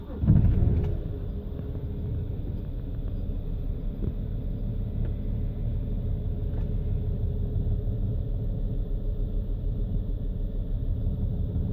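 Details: BMW idling cold, rough and stuttering with low lumpy rumble and unstable rpm; suspected faulty fuel injectors, unconfirmed.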